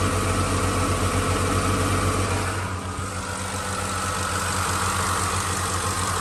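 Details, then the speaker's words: 2006 Ford F-150 5.4L three-valve V8 at idle: fast, even ticking about four per second over steady idle, top-end tick; owner thinks just injectors, a neighbor thinks it's something more. Cause unconfirmed. "All right, all my 5.4 3-valve experts, let me know what you think of the sound. Is this just injectors, or is there something more to it?"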